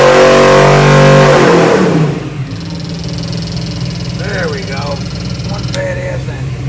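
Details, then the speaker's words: Ford 347 stroker crate engine (450 edition) for a 1966 GT350, Holley carb with manual choke, run demo: strong rev with steady high whine from deliberately fitted noisy gears, then smooth idle; normal. "This one, you chose to put the noisy gears on it to make it sound like a supercharger."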